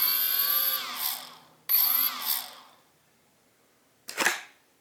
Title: CX-20, one stock motor strange noise when stops